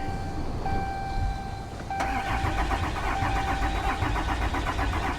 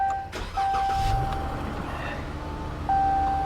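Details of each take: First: Diesel vehicle at a Copart salvage yard, cranking after loose battery terminals were addressed: steady rhythmic cranking for about five seconds with a warning chime, never catches; fuel gauge below empty, out of diesel, so crank no start. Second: Dodge car at a Copart salvage yard, low on gas: engine catches on the first crank and settles into a smooth, quiet idle under a steady door chime; normal engine start.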